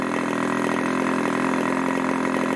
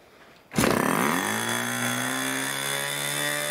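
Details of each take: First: 1980s Irvine 40 MkII ABC glow engine with 10x6 prop and 7% nitro fuel, after tuning the low-speed needle from an initially rich setting: a steady, smooth, burbling idle held just over 2,500 rpm with no surging. It tops out at about 12,300 rpm. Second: 1980s Irvine 40 MkII ABC Schnuerle glow engine with twin-needle carb, 10x6 Master Airscrew prop, 7% nitro and 20% oil fuel, OS plug, on its first run: it catches and settles into a steady, soft, burbling buzz. The needle is too rich and gets leaned.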